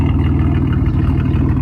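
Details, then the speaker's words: Supercharged GM 3800 V6 freshly swapped in: deep, loud idle with an uneven, lumpy beat, likely misfiring; check-engine light on with catalytic converter removed and fuel system and O2 codes; running rough, cause not yet found. "home we got the tong but y'all see she running rough as [ __ ] all that"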